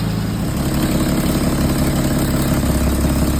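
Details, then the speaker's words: 1934 Dodge Peter Pirsch fire engine, not run in years, first start after cooling, fuel and electrical repairs with a new Blue Streak coil and new fuel tank: steady, even idle with a smooth low beat; the engine sounds good internally. "she runs pretty good the engine sounds good internally I don't sense any problems"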